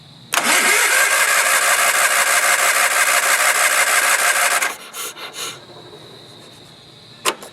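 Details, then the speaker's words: Early-1980s Sears Craftsman FF/20 garden tractor, long unused, being revived: about four seconds of steady starter cranking that cuts off without catching, starter getting worse and seeming to jam slightly on the spinning drive part; starter jamming during cranking. "I don't remember having to do this so much. It's been getting worse the more we commit. It's like it gets slightly jammed on its on the part that spins."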